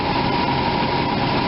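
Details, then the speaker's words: RV V8 idling after new plugs and 10 mm silicone plug wires, cylinder #8 boot now fully seated after it had arced on air cleaner causing clicking. Smooth, steady idle, even low rumble, faint steady whir, no misfire stumble; healthy. "he's running pretty good definitely a good perk when you pull these off"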